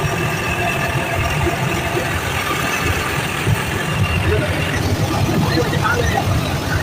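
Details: Package AC unit after service, with a noise complaint: steady low rumble with a rough hiss and a faint thin whine on top.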